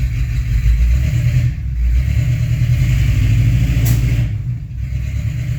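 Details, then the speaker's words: 1985 Chevrolet K20 V8 truck, just fired up in closed garage with newly installed exhaust and long muffler: deep, loud burble at idle, 72-74 dB, with clean blips and no popping, backfire or misfire; healthy engine, loud exhaust. "there we are so yeah she's loud"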